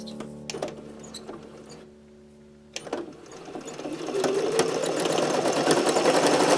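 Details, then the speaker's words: Sewing machine after oiling and cleaning under the needle plate; rapid stitching about three to four per second with a thin dry squeak still present; more oil needed. "that's still squeaky isn't it mm-hmm I'm gonna see if there's another spot that I can put a touch of oil"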